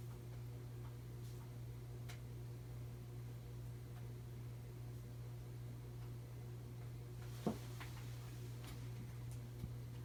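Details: 52-inch Emerson Heat Fan (motor dated October 1981) on its original 1982 Emerson solid-state speed control: a steady low electrical hum under soft running, with slight wobble. The hum is typical of the solid-state speed control.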